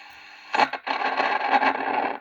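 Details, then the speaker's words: Eight-pin crystal oscillator component put back into a solderless breadboard: silence, then irregular bursts of crackling scratchy hiss cutting in and out from dodgy breadboard contacts. "Yeah, you can hear the scratching noises. This is just dodgy contacts."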